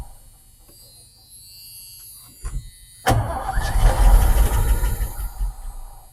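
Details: 1986 Ford F150 that sat for years, after a dead battery: quiet, then a short burst of starter churning before the engine catches and settles into a rough, uneven run; upper-end tick and oil pressure concern noted.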